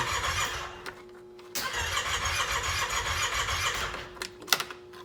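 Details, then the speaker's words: 2018 Yamaha Wolverine 850 X4 side-by-side, Copart salvage, battery just charged so solenoid no longer just clicks: two bursts of fast even cranking with starter whine, engine never catches; fuel appears present, crank-no-start. "like we have fuel and everything. It looks like it wants to start. That's a good sign."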